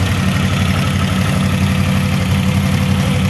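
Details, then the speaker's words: Used CF Moto X8 ATV after cleaning, service and repairs: smooth, even low idle with steady beat, no knocks, rattles or metal grinding, unlike before repair; idling healthily. "now we are starting the engine we hear that our engine runs like a clock,"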